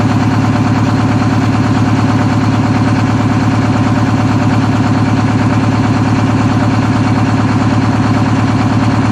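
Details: 1963 GM PD4106 bus conversion, rebuilt diesel not run for two weeks, started after adding a second 8D battery: fires within about two turns and settles into a smooth, steady idle with an even low rumble, no stumbles or knocks; normal idle.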